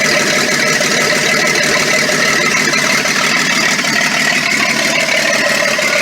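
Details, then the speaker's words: Ex-military Ford tug, first start after new starter, no exhaust fitted: loud raw crackling roar at fast uneven idle with sharp top end, smoke and some flame seen; open header with no exhaust. "Sounds like an open header. Maybe there's no exhaust."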